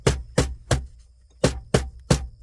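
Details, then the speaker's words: Freightliner truck idling: sharp plastic clatter about three a second over the low diesel idle from a loose dash vent, which stops when held with a finger. "Well, this thing rattles with it. This one vent over here likes to rattle."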